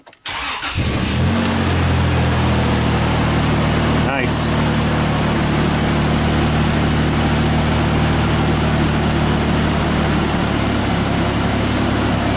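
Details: Isuzu Rodeo after replacing the fuel pump and filter, which drew about 7 amps. Brief crank, then it catches at once and settles into an even, steady idle with no stumble; it starts and runs normally.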